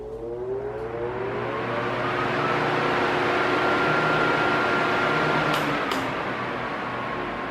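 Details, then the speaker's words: Arno Silence Force 40 cm fan at maximum speed: loud steady rush of air with faint motor hum, rising briefly then holding even; normal, since the fault sign is noise rising and falling. "Ele faz um barulho alto no na na velocidade máxima, né? Ele não pode ficar oscilando, fazendo barulho, fica alto e baixo, alto e baixo, né?"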